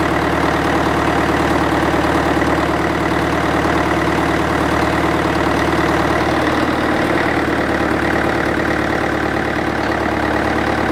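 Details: International 554 diesel tractor, not run for about 5 years: even diesel clatter at a steady idle, about three beats a second, no misses or knocks; a normal idle.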